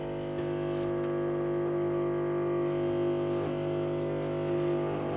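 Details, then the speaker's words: Washing machine on drain program P with an empty drum: steady, loud hum with a piercing whine, even pitch throughout; owner suspects noise is because it's empty; loud drain pump noise. "noisy pump right now. I think it's because it's empty. Hold on. Wow, that's noisy."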